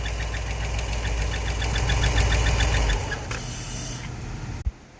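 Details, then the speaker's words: Ram 5.7 Hemi idling with front belt removed, second startup: sharp, even ticking three or four times a second over idle until shutdown; suspected lifter tick. "the belt's not on the front it definitely has that noise something related with a lifter what do you guys think"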